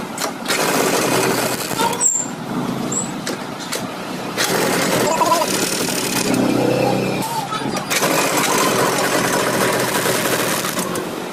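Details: TVS XL Super (XL 100) single-cylinder moped, after pickup, starting and power coil wiring was checked for a no-start: small engine putters along at a steady fast beat with no misses or cut-outs, running evenly and healthy.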